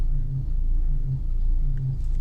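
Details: Nissan Almera on a 33° day, in drive: low engine rumble with faint buzzing whine from pulley area, worse cold and when turning steering, gone when warm; power steering fluid below minimum, possibly seeping; topping up fixed it.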